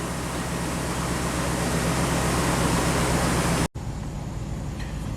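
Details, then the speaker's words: 1998 Chevy K2500 V8, warming up after new intake manifold gaskets: steady even idle, no misfire or hunting; fuel trims within about 5%, idle dropping as it warms, IAC in control; P1345 cam correlation code still pending. "So far everything's looking fantastic. Fuel trims are within about 5%. Our idle is coming down as it's warming up. IAC is totally in control."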